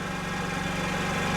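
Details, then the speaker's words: Two-stroke scooter after rebuild (new piston, cylinder, rings) that started poorly and stalled on throttle, after refitting new sponge air filter: quick, evenly spaced popping at steady idle, no sneezing or stalling; starts with half a turn, normal idle. "J'ai installé le filtre à air dans sa position d'origine et maintenant nous essayons de démarrer le scooter."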